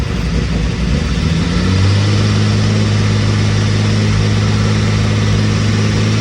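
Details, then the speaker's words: Carbureted engine, first fire-up while setting timing: engine idles unevenly, then revs climb on their own and hang high and steady, a high idle surge from an unblocked carby vacuum port left open. "Alright, so in a second you'll hear the engine rev up. The reason it's revving up is because your boy forgot to block off one of the ports on the carby."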